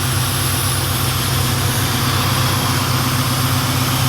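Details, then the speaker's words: Turdzilla Mustang with a Mark VIII engine swap at low idle after the earlier tick went away within seconds: smooth, even low rumble with no tick or tapping; running cleanly. "actually not making the noise anymore yeah Lukas stuff and it went away after a few seconds so what's yeah and it's idling low right now too"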